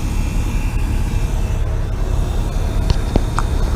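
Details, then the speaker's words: Cummins ISX15 truck diesel, engine off during priming after an oil change: steady low buzz of the low-pressure pickup (lift) pump drawing fuel to the filters, with no knocks or surges, normal priming. "that is the um high pressure pump uh that is or the pickup pump i don't know you can people call it different [ __ ] um it's like the low high pressure pump anyway it picks up the fuel and brings it to the filters"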